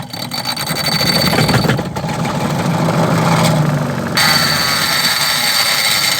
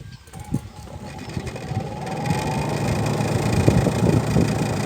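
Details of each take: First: Mabe 12 lb twin-tub washing machine spin motor: rough scraping rasp over motor hum, catching and dragging as it spins; motor binding, suspected bushings or loose springs, not confirmed; motor noise and binding. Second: Mabe 12 lb twin-tub washing machine after replacing the faulty, catching spin motor: steady low motor hum building smoothly as the spin tub comes up to speed, no grinding or knocking. Spin motor now normal.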